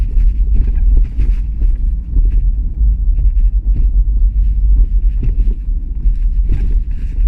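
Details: Rear end of an Opel Astra J driving over small road bumps: heavy low road rumble with irregular dull clunking knocks from the rear. The cause is unknown to the owner.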